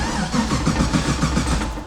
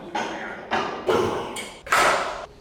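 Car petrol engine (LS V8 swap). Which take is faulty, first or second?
first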